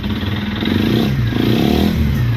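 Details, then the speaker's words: 1995 Suzuki GN250 single-cylinder motorcycle, sat outside 15 years, first start after new fuel line to carb: steady even thumping, revs picking up cleanly, no knocks or misses; ran well briefly, though an O-ring seal shot out; normal running. "it ran uh it actually ran quite well for the little bit that it was running"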